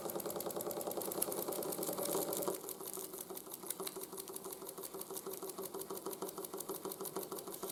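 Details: 1914 Ernst Plank 114/1 vertical steam engine after running-gear rebuild (new crank pin, wrist pin, shims for crank side play); light even knock about three beats a second still audible but much quieter than before, clunks slightly when hot; remaining crank knock.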